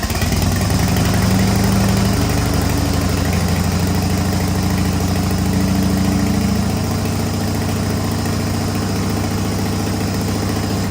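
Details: 1985 Harley-Davidson FXRS Evo V-twin, sat five years, new carburettor, oil-mixed fuel, smoking heavily: steady low rumbling idle holding speed, slightly uneven but no knocks or grinding; engine runs.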